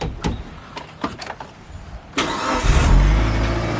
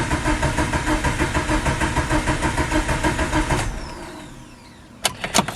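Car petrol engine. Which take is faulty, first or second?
second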